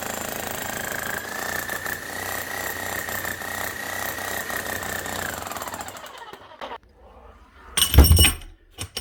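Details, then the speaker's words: Serviced 25-year-old Bosch GSH11E demolition hammer: initial shaking as excess grease moves between piston and striker, then fast, even hammering with steady tone and no knock; normal running. "after a few seconds you see it stops shaking back and forth and you can hear the hammer starting to run smooth again"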